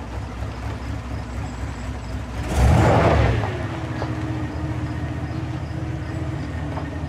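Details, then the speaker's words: 2500 Silverado 8.1L Vortec V8 with Allison transmission, in gear before repair; rough, uneven labouring with a stumbling beat, engine definitely misfiring, very bad in reverse, low-RPM misfire under load. "i don't know if you can hear that or not the engine is definitely misfiring and in reverse it's very bad if you can hear that or"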